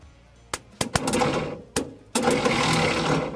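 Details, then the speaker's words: 1975 Volkswagen Shorty bus, sat over 20 years: a few sharp clicks then the starter whirs freely in short bursts without turning the engine over; Bendix drive not engaging, wiring issue and extra solenoid noted, starter to be pulled. "ar it. It ain't turning nothing over though. No. It's not engaging."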